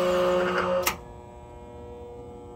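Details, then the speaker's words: 1988 English metric Monarch 10EE lathe on a regenerative drive, first test run with belts off: steady drive whine ends in a sharp crackling burst as the spindle brakes to a stop, an unusual noise during electric braking. "funky sound but it stopped went back to the same red"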